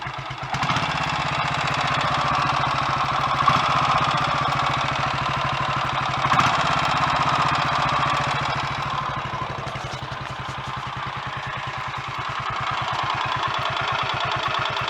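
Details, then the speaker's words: Royal Enfield Electra X single-cylinder first start after rebuild with new conrod, big end and piston: steady idle beat with a light mechanical top-end clatter, quieter than before; timing gear or cam/valve gear suspected. Cause suspected, not confirmed. "well i guess you're gonna have to take my word for it but it sounds better than it did before i stripped it and put the new big end in"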